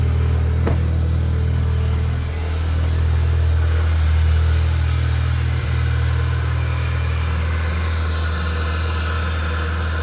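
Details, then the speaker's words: Audi B8, first start after a CTS BOSS 500 big turbo install, not yet tuned; steady, even low idle with a smooth beat, no knocks or ticks; a little smoke from new exhaust parts burning off, normal idle. "there's a little bit of smoke as you would expect with any new like exhaust product it's just burning off the stuff that kept it on the shelf so I'm gonna let it run for a little while sounds like a spaceship which is sick"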